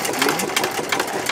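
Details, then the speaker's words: 1919 Domestic side-shaft hit-and-miss engine running with its cover off: light, even clicking and clatter from the valve gear with no knocks or stumbles; sweet-running engine. "Well, I think that's a sweet running engine"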